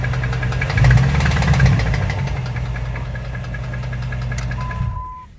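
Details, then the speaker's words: 2005 Dodge Ram 1500 5.7 Hemi: heavy, deep knocking about four per second under revs, fading as the engine winds down. Owner suspects worn crank or main bearings in the lower end rather than the flexplate; not confirmed. "I think it's the lower end we're running the crank bearings the main bearings or something that's what it sounds like"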